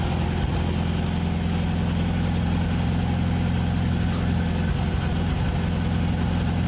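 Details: International 434 gas tractor, long unused, running on a boosted battery after reconnecting the governor rod to the carburetor: a steady, even low chug with no misfires or knocks; normal running.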